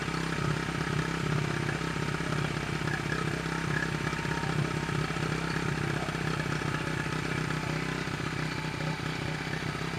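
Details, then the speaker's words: 1974 Honda XR75 small single on choke after new coil, steady fast patter idling too high; idle stop screw nearly all the way out, air-fuel mixture screw around one to 2¾ turns out, idle jet changed from 38 to 35, won't come down. "The idle screw's pretty much all the way out. And air fuel mixture screw was a turnout. That's a turnout again. Gonna idle back up."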